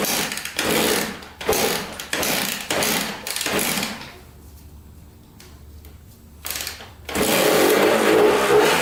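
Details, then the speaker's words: 1994 Honda CR80 two-stroke on fresh premix: revs surge in uneven bursts about three a second and sag nearly to stalling; rough running. Owner suspects an air leak, possibly at the intake boot. "there's definitely an air leak going on somewhere in this thing i wonder if it's by this boot right here"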